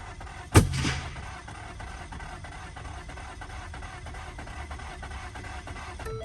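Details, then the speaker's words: Car cranks without starting after new spark plugs, with a starter performance code stored: one sharp backfire bang in the downpipe, then even cranking that never catches. The owner suspects the timing chain, replaced last year, is off or stretched. "So you heard that backfire again, obviously. So it's like it wants to start, but something's like preventing it from."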